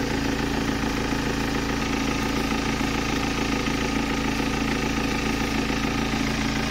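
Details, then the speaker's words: 2007 BMW 320d M Sport auto diesel, 182,000 miles, idle with a disconnected air intake part: busy, fairly loud even clatter, not quieter; loud idle cause not pinned down. "let's uh turn this on it's not any quieter I don't think so obviously these aren't airtight"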